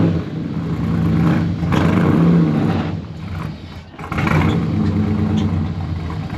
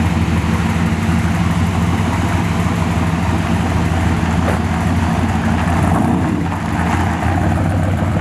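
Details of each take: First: 1969 Chevy C10 with 454 big-block, TH350 replaced by a 1000 hp-rated TH400, cold: big V8 revs up and falls back in long surges without pulling the truck up the ramp; slipping automatic. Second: 1969 Chevy C10 454 big-block with newly swapped 1000 hp-rated TH400, driving: deep loud steady rumble, no clunks, slipping flare or whine; engine and new automatic pulling smoothly, converter flashes to about 4500 rpm.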